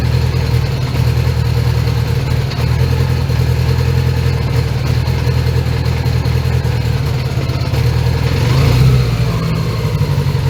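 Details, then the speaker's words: 1980 Honda GL1100 during carb sync, with idle raised and the engine not yet warm: a loud low rumble that stumbles now and then. Intermittent misfire; it doesn't run on all four cylinders all the time. "Yeah, it doesn't run on all fours all the time. So, let's uh give it some time and let it properly heat up."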